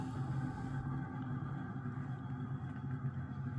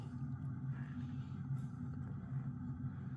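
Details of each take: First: 1980 Emerson Casablanca 52" friction-drive ceiling fan turned up to a higher speed: loud steady motor hum with a slow uneven wobble pulsing about twice a second; owner guesses warped blades cause the wobble, not confirmed. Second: 1980 Emerson Casablanca 52" friction-drive ceiling fan on low after a brief start on high, since it tends to stall at low speed: steady, fairly loud low hum with even drone, no knocking or scraping; normal running.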